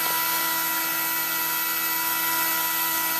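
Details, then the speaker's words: Newly installed 20mm case fans, some 5 V white and some 12 V black running at different speeds, in a Dell GX620 at startup; loud steady high jet-like whine over rushing air, working normally but noisy. "There we go. Sounds like a jet engine, doesn't it?"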